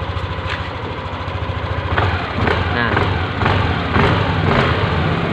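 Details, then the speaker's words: Yamaha Aerox after repair of a clicking "cetok" noise in the CVT area on initial throttle: the engine blips smoothly about twice a second with no clicking or knocking from the belt drive, and the CVT now sounds normal. "sudah hilang ya untuk yang bunyinya cepat stok itu"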